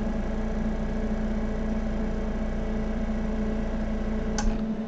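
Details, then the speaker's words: Medical grade air compressor in good condition, running with hood off, muffler keeping it quiet: steady even motor hum with constant low tone, no knocks or rattles, one brief click near end; healthy running. "man the muffler everything keeps it nice and quiet once i put this hood on it's gonna be even quieter still"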